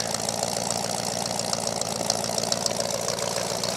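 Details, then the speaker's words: Ford F-150 after engine swap with rebuilt short block and new small cam, still cold: steady idle with slight loping pulse about three to four beats a second, otherwise quiet apart from the AC idler; healthy. "So you can actually pick up just a little bit of a lope that it's got. Just a small one."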